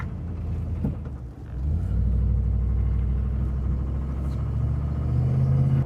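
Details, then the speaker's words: 1995 Ford F-150 driven across town with a rod knock that began on a road trip a year earlier, oil pressure present, AC not working: deep rumble with a dull knock about three to four a second, getting worse; worn rod bearing. "oh, she's knocking a little worse now."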